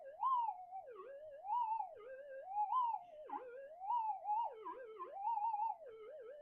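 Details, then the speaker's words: Minelab metal detector with a variable damping mod, damping peaked at critical: a wavering tone rising and falling about every 1.5 s, with a 0.05 target still audible through the noise. "even in all the noise um we can hear the target."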